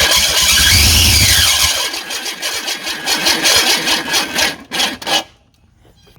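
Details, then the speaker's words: Long-sitting Ford Ranger pouring oil mixed with water: sluggish, uneven cranking fades out after a few seconds without firing; owner believes the starter has failed. "yeah I think our uh I think our starter is done quit on us now try yeah unfortunately I believe the starter is gave out daddy H"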